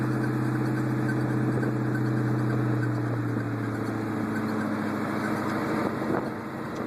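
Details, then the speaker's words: 2002 Mustang GT, 5-speed, built 8.8 rear with Moser 31-spline axles, Detroit locker and aftermarket control arms: faint uneven squeak from the rear over driveline hum while driving. It persists after new u-joints; cause unknown. "definitely coming from the back. Cannot. Don't know what it is."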